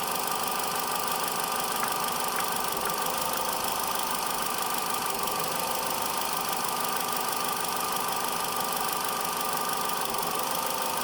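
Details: 2013 Vauxhall Corsa 1.4 SE automatic at idle: steady hum with an occasional knock and stumble every few seconds, engine moving and revs dropping slightly; intermittent misfire, owner first suspected coil pack, cause unconfirmed.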